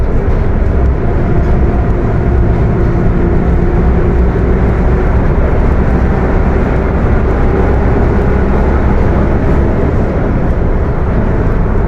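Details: Mercedes-Benz OF 1721 bus with Apache Vip IV body, recorded inside while driving: deep, loud steady drone with a droning gear note over the engine; the transmission is roaring loudly.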